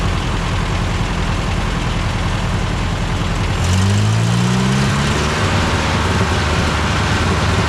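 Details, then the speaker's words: Old tractor, throttle eased up after starting: a low, steady rumble at idle with a brief rise and fall in pitch, no misses or knocks. Before, it died whenever given power. Normal idle. "started and then I slowly moved it until it started sounded really nice so now that it's sounded nice idle it"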